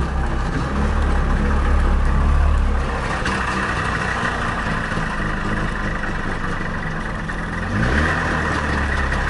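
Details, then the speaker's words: Trabant 601 two-stroke engine, bought used for 30 euros, fan belt removed: uneven rough running with loose knocking about four a second rising with revs; engine bearing damage, worn engine not ancillaries, after briefly seizing. "Das liegt nicht an irgendwelchen Anbauteilen. Das ist definitiv der Motor, der platt ist."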